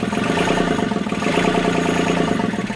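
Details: Lagoon 38 catamaran diesel engine, heard in the engine compartment: a steady, even idle clatter with a regular firing beat and no misses; the engine runs normally.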